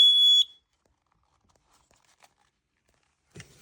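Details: Kidde/Dometic battery-powered carbon monoxide alarm, tested in a van with a tube from a car exhaust: one sharp, shrill beep under half a second, then quiet with handling noise, as the CO alarm goes off.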